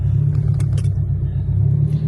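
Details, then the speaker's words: Cold start of a Nissan 240SX, possibly catless, check engine light on: low, heavy idle rumble with an uneven, lumpy pulse; rough idle, owner suspects misfire, seller suggested injectors, undiagnosed. "This is a cold start. [Music] Yeah, it doesn't sound good at"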